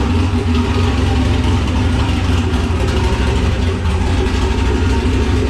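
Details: Nissan Patrol Y60/GQ SWB with a turbo LQ9 6.0 iron-block V8 (Camtech turbo cam, Holley Terminator X), started cold after sitting two days. A full exhaust is not yet fitted. Deep, steady, healthy idle with no knocks or misses.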